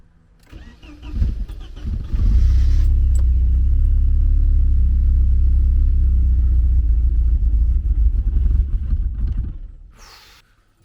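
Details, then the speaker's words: Porsche 924 that sat abandoned, with its fuel pump cutting in and out: about eight seconds of steady fast cranking, catching weakly but never picking up. Long crank with no start, apparently not getting enough fuel. "seems like it's not getting enough fuel somehow"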